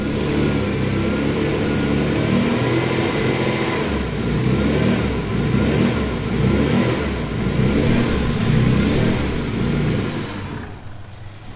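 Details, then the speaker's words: Twin Turbo Capri hunting at idle with the throttle body opened slightly to its former idle setting; a new vacuum leak is suspected. Idle swells and sags every couple of seconds instead of holding steady. "So she's not happy. That position where she was hunting then on the, when I opened up the throttle body a touch, was where it used to be set at idle."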